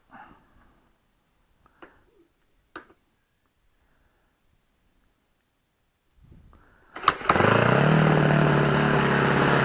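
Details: OS FS 91 Surpass 15 cc glow four-stroke on methanol, rebuilt after a crash with epoxy-welded exhaust and a new crankcase cover, carb, ring and bearings; first start after priming. A few taps, then a steady high buzz with a soft burble; the mixture is set very rich.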